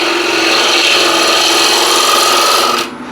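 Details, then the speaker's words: Bowl gouge on a wood lathe: a harsh rasping scrape over the spinning wood with no crisp shaving hiss; the dull gouge needs much more force and leaves a pulled-up surface. "that is I'm using a lot a lot more Force to get it actually uh across here and just to show you the surface here it's quite pulled up"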